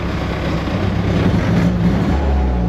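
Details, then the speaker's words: 1988 Ford Festiva with a 1.6 EcoBoost from a Fiesta ST on its stock turbo: revs climb lazily after blips, then hang with a slight flutter. Owner suspects it is running rich or has a low-pressure fuel issue; it idles decently with slight shake. "got somewhat of a poor throttle response, and with that it does like a slight rev hang."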